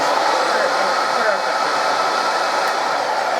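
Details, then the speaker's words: Hoover 119/1224 upright vacuum cleaner, about 70 years old, first switch-on after servicing and fitting a new cable: steady even motor hum and airflow hiss, minimal commutator sparking, no crackle or surging; running cleanly. "turn the switch nothing wrong with that and i don't know what the camera will see down in there but the commutation is minimal"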